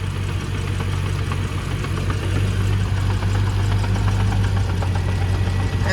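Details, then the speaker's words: 1994 Land Rover Discovery (D1), idling: deep hum with an uneven knocking rhythm about three per second, oddly resonating; owner thinks it comes from the transmission, possibly flywheel/flex plate or a backed-out bolt; unconfirmed knocking at idle. "let me fire it up and take another listen to that is such an oddly resonating rotation Awards internet definitely sounds it's coming from the transmission"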